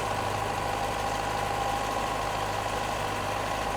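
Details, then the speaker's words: Toyota Corona XT130 with Holden Starfire four-cylinder, just started: coarse uneven idle, steady low thrum with rattly mechanical edge, rough and unrefined, low on power. "there is no way on God's earth but you would call that a refined engine it sounds like something from the 1940s"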